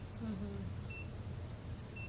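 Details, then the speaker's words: Gas detector checking a recently installed water heater with a reported gas smell, after the suspected leak at the adapter was addressed: two short high beeps about a second apart, slow baseline ticking, no leak detected. "and now it's see how it disappeared so it might pick up a little bit of gas cuz it's shooting it down this tube"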